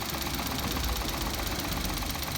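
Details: Engine idling after adding Motor Up oil additive for an abnormal noise; hard, steady metallic knocking under rough idle; owner suspects a worn bearing (metal), additive didn't help.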